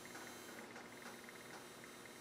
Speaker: when you hear digital servos make that buzzing noise it's just because of how many you know how many times that motor is being sent signals